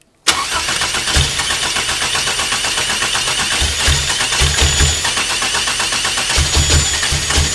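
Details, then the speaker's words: Toyota 2.7L 1AR-FE in an MR2 Spyder, stock except 280° cams and valve springs, first start on a Haltech Elite 1500 ECU with idle target 1500 rpm and 2200 rpm limiter: catches at once and holds an uneven fast idle. Seems short of fuel. "okay well that noise sounded like i got lucky on the uh synchronization the uh i wasn't 360 degrees out of face um um smells like she wants more fuel"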